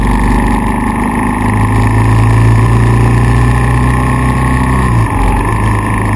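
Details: KLR650 single-cylinder misfiring after CDI failure; stator, pickup coil, CDI (twice), plug (twice), ignition coil, wire and cap replaced with no change. Steady thumping with one brief stumble and tach drop; rare miss every minute or two, cause not found.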